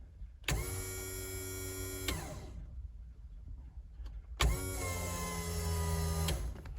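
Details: 3000GT new surge tank setup, first test of the lift pump filling a 1.5-liter surge tank: two bursts of steady electric whine, each about 1.5 seconds, starting and stopping cleanly; pump running good.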